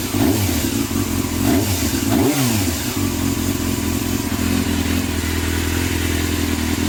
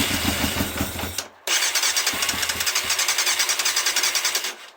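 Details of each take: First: Yamaha Thundercat first start after carb overhaul with new float needles and seats for leaking float valves, fuel pump disabled, choke on: smooth, even multi-cylinder run, picks up cleanly on blips; no misfire or stumble. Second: Yamaha Thundercat first start attempt after carb overhaul with new float needles and seats, fuel pump disabled and ignition coil connection in doubt: starter cranks steadily about three and a half turns per second, even compression pulses, engine never fires.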